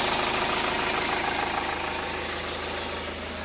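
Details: Hyundai Starex diesel idling after clearing DTC P0253; the van had a burnt alternator wire. Steady, even idle with light regular clatter, no shudder or misfire; the engine shake is gone and it runs quietly.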